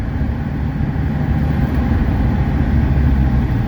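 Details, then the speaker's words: 1982 Mercedes-Benz 300SD diesel on a winter test drive with a new water pump, engine at proper temperature: low, even diesel rumble under road noise, no surging or knocking, automatic shifts so smooth they go unnoticed; healthy engine and transmission. "oh wow that pool is really nice such a healthy nice engine so smooth this is one of the smoother shifting SDS I've uh I've driven"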